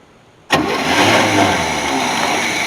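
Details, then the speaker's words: 1981 Chevy C30 dually after sitting 10 years, first start once the ignition is on: catches at once and settles into a steady, even idle with no misses or knocks. "now we got spark and it's running so i got my uh i got my daily shock treatment on my pacemaker and uh truck fired up so that was a little easier than we wanted it to be but it's a good thing"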